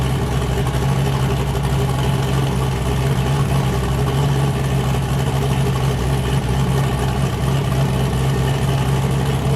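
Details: Boosted car "James Brown", new cam, just fired up after 23 psi blew a coupler off: heavy, steady, lumpy V8 idle with an even chop on every cylinder, no misses or knocks. Normal choppy cam idle.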